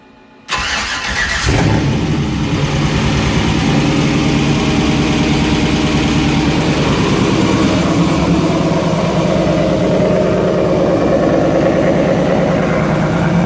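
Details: Toyota pickup with an LS engine swap and new fuel sending unit, first start: brief crank, then it catches and settles into a steady, even idle with no misses or knocks; engine runs healthy.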